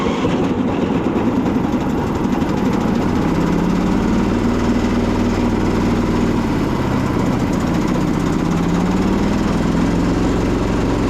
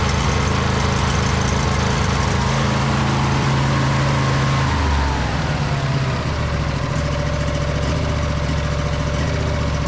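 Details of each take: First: Husqvarna YTH2242 Briggs V-twin before repair, blades rigged always engaged: lumpy, labouring low drone with uneven beat and wavering pitch, like running on one cylinder with a dirty carb; dead cylinder from a bent push rod. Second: 2008 (believed) Husqvarna YTH2242 lawn tractor, Briggs V-twin, after bent push rod fixed and reassembled, good compression on both sides. Deep steady twin rumble, eases once then holds even with slight surge: normal running.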